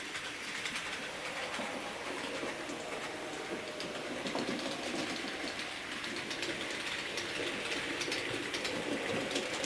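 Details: J36 model steam locomotive after re-oiling bearings that had dried out from sitting unused: light even clicking and a soft high whir from the small motor and gears, no harsh grinding; runs freely.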